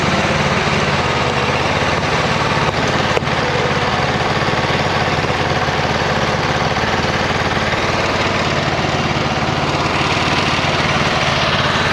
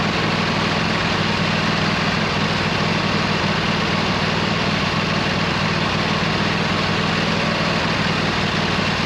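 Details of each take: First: 26 HP Kohler V-twin on a lawn tractor mowing deep, tall grass. Under load it runs loping and uneven, missing firing strokes, on one cylinder. Exhaust is rich, black and smells of unburned gas after an intermittent misfire of nearly two years. Suspected ignition coil. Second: 26 HP Kohler V-twin on a lawn tractor, idling just after fitting new OEM Kohler ignition coils to cure an intermittent one-cylinder misfire; loud, steady, even pulse with no misses, firing on both cylinders; not perfect yet but much improved.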